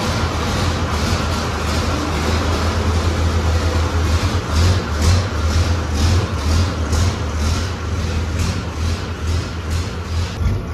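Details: Six-cylinder Fordson Major tractor puller after a twin-plate ceramic clutch upgrade, turbo running without an air intake, short test run: deep, even diesel beat with some throttle pulses, no knocks or slips; sounds healthy.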